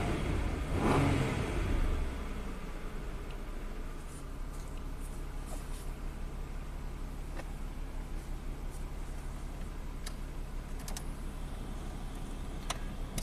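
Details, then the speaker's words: 1994 Ford Probe V6 after throttle stop screw adjustment: engine flares up briefly, then drops cleanly back to a steady, smooth 750 to 700 rpm idle without hunting; normal start and idle, ready for test drive. "okay it's happy now we can take it for a little test drive"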